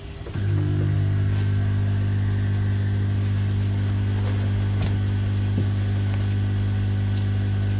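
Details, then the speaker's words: Koi pond: newly swapped replacement air pumps, fitted to be quieter, in cold weather. Strong steady low hum with an even buzz and no rattle or knocking; the pumps run normally and are noticeably quieter than the old noisy ones. "oh that's a lot better still hear them that you're going to i suppose but so far yeah that seems a lot quieter than me so happy with"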